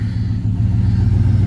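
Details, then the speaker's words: 2007 Cadillac Escalade EXT 6.2L V8, just started after about 2 years parked; deep, steady rumble running evenly with a slight rev; the engine fired and runs fine. "Yeah, it's just sitting here idling as pretty as you please."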